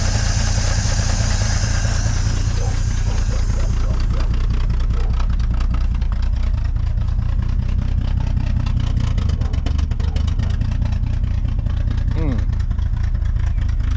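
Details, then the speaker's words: Dodge Meadowbrook engine idling with temperature still low after a swap to a 6-volt battery, strong fuel smell: a loud, uneven, stumbling idle with heavy shaking, running worse than before. "All right, on this lower angle, there's quite a bit of shaking. It doesn't seem to be running as well as it was before."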